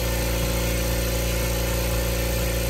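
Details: New Kobalt air compressor on its first run, filling from empty in a garage; smooth even drone with steady pitch, no knocks or rattles; normal running.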